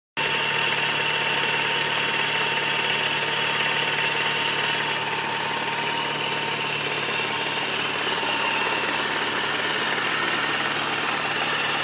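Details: 2003 Mini Cooper S petrol engine idling steadily with a light, quick tapping/knocking over its bright, hissy running note.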